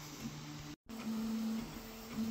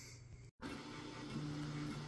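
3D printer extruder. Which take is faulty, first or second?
first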